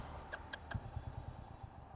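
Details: Royal Enfield Bullet stalled after about 7.5 km on a one-litre mileage test: sharp cranking bursts, then weak irregular thumps that fade; won't start, cause unknown.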